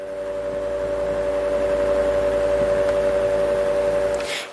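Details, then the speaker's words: Fan on a modified sine wave inverter, microphone close to the fan: a slight steady mid-pitched buzz rides over the fan hum, the motor buzzing from the modified sine power rather than pure sine. "I don't know if you could hear that but there's a slight buzzing I hopefully you could hear that sound but there's a slight buzzing there"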